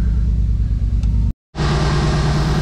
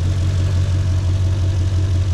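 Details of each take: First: Mercedes G-Wagen after repairs including a new starter, just fired up: low, steady rumble with an even firing beat and no misses or mechanical clatter; engine sounds good, nice and smooth, normal running. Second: Mercedes C55 AMG with a low, lumpy, uneven engine note, as if down a cylinder, after losing power in fourth gear; limped home not running right or at full power. Owner unsure, suspects a dead cylinder or the gearbox, since fourth feels weird.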